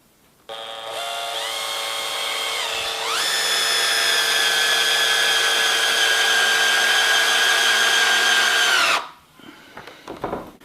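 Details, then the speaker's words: Cordless drill running normally on low speed setting one (slower rotation, more torque, for roofing or decking screws); motor spools up to a steady, even high whine with no catches or roughness. "in setting one or on setting one the drill rotates slower but it has more torque so it's great for doing jobs like inserting roofing or decking screws"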